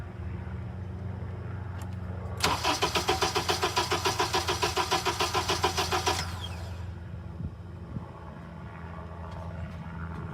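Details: Engine cranked on the starter with the injectors disconnected during a lab-scope mechanical check triggered on cylinder one. About three and a half beats a second with one weaker, softer beat, and vacuum pulls slightly low; low compression on one cylinder.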